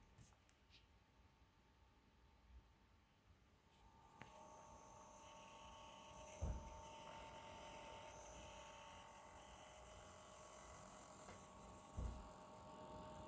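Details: Asus ROG Zephyrus GX531GS laptop, new on arrival: quiet at first, then a loud hissing fan rush builds with a thin steady coil whine on top; excessive fan noise and coil whine.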